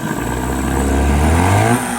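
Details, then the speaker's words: 2002 Mercury 15 hp two-stroke outboard running in a test barrel. A clean rev with pitch climbing smoothly and dropping back to idle, no stumbles or rattles; healthy normal revving. "That's what you gotta love about Mercury's. They always run good and smooth for you."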